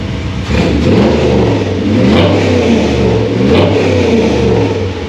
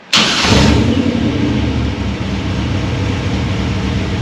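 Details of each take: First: V8 with Holley Sniper tunnel ram, XP carburetor and MSD distributor, new water pump, restarted hot: loud rowdy blips with uneven edges; owner says it still needs tuning, cause not confirmed. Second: V8 project car with a Holley Sniper tunnel ram, XP carburetor, MSD distributor and new water pump, restarted hot: brief crank, instant catch, quick rev flare settling into a lumpy, even idle that sounds rowdier; a clean, healthy hot start.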